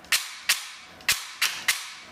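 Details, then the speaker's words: APS V2 airsoft gearbox with new piston and brushless motor fitted after the piston lost its lead tooth: five sharp dry cracks of piston slap, almost no gear noise or motor hum; gearbox cycling fine. "I can barely barely hear anything but the Piston slapping like I don't hear any gear noise or anything no one from the motor nothing just the slap of the piston"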